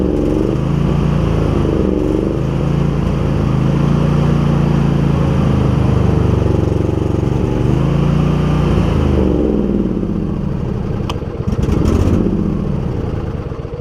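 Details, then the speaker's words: Husqvarna YTH2348 riding mower engine; idle hunts and surges unevenly, revs sagging and lurching until it stalls; owner wonders about spark plugs, then concludes it is likely out of gas. "We got a little bit of a rough idle. I wonder if this thing could benefit from some plugs."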